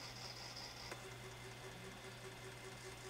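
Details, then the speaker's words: IBM 5155 Portable PC 5.25-inch floppy drive formatting a scratched, poor-condition disk: faint hum with rapid rough stuttering head ticks, invalid track error; unsure whether drive or disk causes the noise, disk suspected. "and we've got the invalid track okay and it sounded nasty I'm not 100 sure whether that's the drive making that noise or whether it's just something in the disk here causing it to make the horrible noise"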